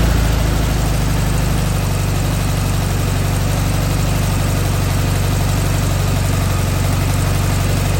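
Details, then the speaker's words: Air-cooled engine just fitted with an OEM Solex 34 PICT-3 carburetor idles steadily without misses at about 1,000 rpm, slightly above the 850–950 rpm target; idle slightly high. "Okay, so right now I am at 1,000 RPMs. Ideally, you want to be at 950 or 850."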